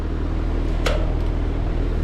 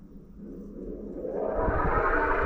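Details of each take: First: Trane XV heat pump outdoor unit during a fan test, with a whining noise complaint: low, steady fan hum with no whine or grinding, one brief click. This is how a normal fan sounds. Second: Trane XV heat pump outdoor unit, outdoor fan test run from the control menu with thermostat off: condenser fan motor spins up with rising whine over rushing airflow, audible from porches; motor should be quiet, replaced.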